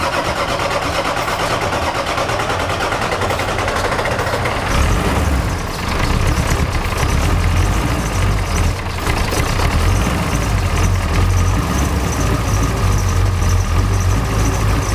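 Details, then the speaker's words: Ford 7.3 Powerstroke diesel with engine oil ending up in the fuel tank, restarted after topping the oil back up: long steady cranking until the injectors kick on one by one, then a rough but building idle; normal start after extended cranking. "you'll start feeling one injector come on then another then another rpm will start jumping"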